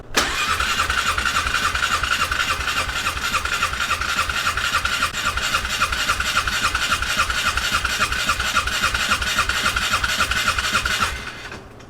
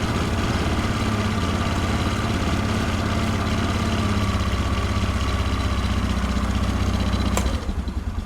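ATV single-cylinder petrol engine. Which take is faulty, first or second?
first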